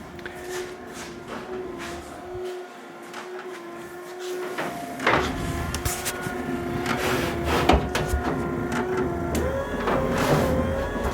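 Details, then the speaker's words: SPW cable-drive windshield wiper kit with motor relocated off the firewall in a 1957 Chevy, running without wiper blades: steady motor hum with sweeping rhythm, slightly louder on high speed; normal wiper motor operation. "on high speed you can hear that the motor uh increases the noise increases slightly but uh not too bad"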